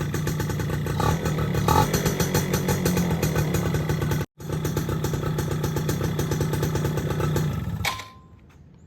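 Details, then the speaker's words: Yamaha F1ZR two-stroke motorcycle idling steadily and evenly with no grinding, then shut off, after rebuild fixed a loud clutch-housing noise caused by a worn, loose bearing. "Alhamdulillah motornya sudah adem, suara kerangkeng setengahnya."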